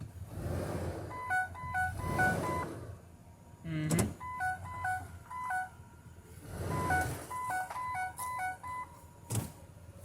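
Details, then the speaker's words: 2007 Ford E350 Econoline XLT passenger van, idling: repeated stepped AdvanceTrac with RSC warning chimes every few seconds; moisture in a sensor connector, possibly via bad plug seals. "I'll be damned the second come to make a video about this it actually gives us a problem couldn't have found better timing"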